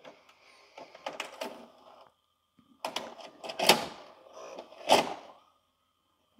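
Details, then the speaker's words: LG FC930W VHS VCR after reassembly: on eject, hard plastic clunks at uneven intervals and a short whir as the cassette rams the closed door. A small plastic door-opening lever was misplaced during reassembly, so the door never opened. "there was a little plastic lever on this side that actually opens the door when the tape's coming out so the tape was being a battering ram trying to get through the door with the door closed"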